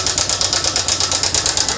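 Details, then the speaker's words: TVS Sport motorcycle: loud, fast metallic ticking clatter of about eight to nine beats a second over the engine. The timing chain is worn and its adjuster/tensioner is damaged; both are to be replaced. "तो दोस्तों बहुत ज्यादा sound है इसके अंदर कहे का आवाज है ये हमारा टाइमिंग चैन का इशू है टाइमिंग चैन का आवाज है दोस्तों"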